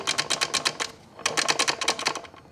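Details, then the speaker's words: Honda Fit GD3 manual transmission removed from the car and turned by hand: quick dry clicking and rattling in bursts from inside the case; throwout bearing known poor, input shaft bearing suspected; being replaced. "that's definitely uh a little noisy coming from the inside of the transmission so good thing we're we've got it off and we're replacing everything"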